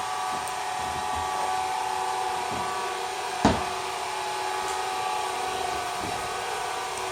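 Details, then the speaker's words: Aldi Easy Home S570 robot vacuum running after teardown and cleaning of hair and filters: smooth, even mid-pitched hum with a single light bump, earlier loud buzzing gone, no rattle; running normally after repair. "Listen to that kitty purr. So now we know that this thing runs smoothly."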